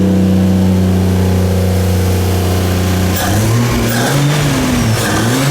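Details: 2JZ-swapped Nissan 240SX first start after fix: strong steady idle revving up and down cleanly, loud exhaust, no misfire, knock or rattle; engine running healthy.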